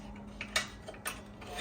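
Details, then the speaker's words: RV furnace igniter checked during diagnosis: sharp dry snapping ticks, a few per second and unevenly spaced, over a quiet hum; sparking fine. "you usually hear the the spark it's samping pretty good it's okay"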